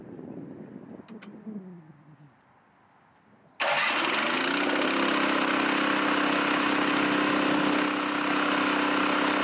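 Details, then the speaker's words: Chinese walk-behind track dumper bought broken at auction, untouched, just started in two cranks, tipping its water-filled bin: small engine catches at once and runs steady and even under the dump load; healthy, bin dumps. "Well, that's cool. It actually dumps. So, that's cool."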